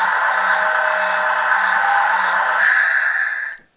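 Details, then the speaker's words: Newray RC Volvo A40D dump truck, original tipper motor, bed about half full: a steady high whine labours with faint ticks about four a second, then cuts out with the bed still down; the motor is too weak to lift the load. "no it hasn't a hope of lifting that"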